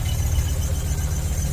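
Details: Ford Focus ST 5-cylinder, new MAF sensor fitted: low idle rumble with uneven, lumpy, stumbling pulses and bogging down; still misfiring at idle, not solved by new sensor.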